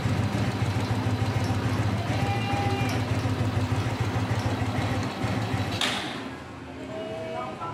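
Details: Kee 125 motorcycle, single cylinder, after carburetor adjustment for high fuel consumption: a steady putt holding an even beat with a brief throttle blip; the mixture sounds right and the engine runs clean after earlier stalling.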